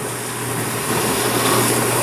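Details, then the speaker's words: 1991 GE Potscrubber dishwasher, first full load, pre-wash with pump running and heating coil on, vent noise audible: even rushing water, steady pump hum building slightly then smooth, no grinding or rattle; normal wash pump running. "yeah so far it sounds so far it sounds good and over here um the right now the heating coil came on it usually comes on for the first um for the for the very first pre-wash"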